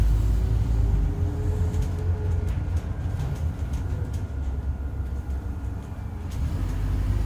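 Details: 2008 Euro 4 Alexander Dennis Enviro 400 bodied Scania N230UD bus under way: faint steady howl over heavy diesel drone and road rumble; suspected dodgy bearing or worn tyres, not confirmed.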